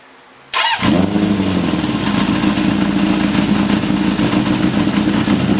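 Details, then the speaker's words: 1981 Honda CB750 K1, bogging and stuttering: engine bursts into life and settles to a lumpy idle that revs up when sprayed, showing vacuum leaks at the throttle shafts and carb boots. "all right so far we have a leak at throttle shafts and the boots"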